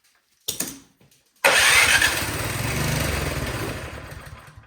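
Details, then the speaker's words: Craftsman snowblower no-start with oil and spark confirmed: starting fluid sprayed into the cylinder, then one pull catches and runs about three seconds before fading. Suspected bad, gummy old fuel in the carburetor; fuel starvation from a clogged carburetor. "I'm gonna spray a little bit of starting fluid down the top of the cylinder and see if it will fire. And if it does, that will tell us that we got, maybe bad fuel or, something in the carburetor, old gas sitting in there, gums it up."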